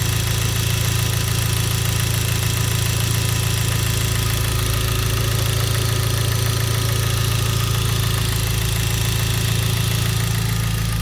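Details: Genesis 2.0T turbo petrol engine idling with a deep, regular rod knock: a poorly manufactured oil pump caused oil system failure, poor lubrication and a spun bearing; no oil light or limp mode.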